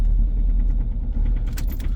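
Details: 2.0 HDi diesel cold start at −13 °C, glow plugs used: low rumble with regular hard knocks in the first seconds, then shut down; unburnt-diesel smell from the exhaust. Owner suspects an electronics fault from a remap, or injection.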